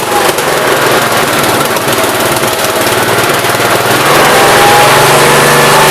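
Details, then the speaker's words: 1969 Gravely 432 after the carb main jet, out too far, was leaned and the carb cleaned. Engine pulls evenly and picks up speed smoothly with no popping or banging on acceleration, running well. "pretty good now it's running amazing main was out to know everything was out a little too far cleaned her out a little bit she's not popping them bangin while you're trying to accelerate"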